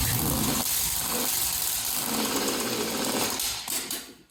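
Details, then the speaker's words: Junkyard LS 5.3 V8 started: runs steady and even at a fast idle, then stumbles and fades out as it runs out of gas; otherwise runs nicely, normal running. "out of gas wow ho runs nicely"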